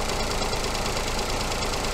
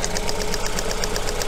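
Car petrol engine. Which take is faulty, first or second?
second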